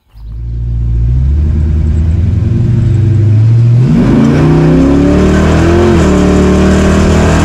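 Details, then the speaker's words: Chevy 350 Vortec V8 with aftermarket cam and valve springs on 87 octane, driving through rising revs: faint pebble-like rattling under load; detonation (spark knock), before adding 93 octane. "it sounds like little Pebbles hitting the firewall you'll notice it in the videos"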